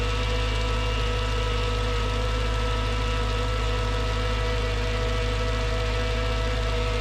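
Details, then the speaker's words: Mercedes CLS55 AMG M113K supercharged V8 after fitting new billet idler pulleys to cure loud belt squeal: loud steady idle with a constant whirring tone that stayed after warm-up on a cold day; owner unsure, doubts pulleys, suspects supercharger. "anybody has any guesses that noise didn't go away after it warmed up um not sure what it was it didn't sound like it was coming from the pulleys maybe the supercharger"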